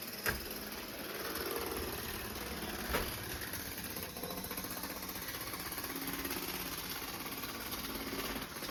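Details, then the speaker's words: Cheap Bachmann model train locomotive at full power pulling cars: fast, busy buzzing whir with rapid clicking ticking through it from cracked drive gears, which could soon split in two. "You can hear the clicking noise. You can definitely hear the cracked gears in there. It's only a matter of time before this actually split in two."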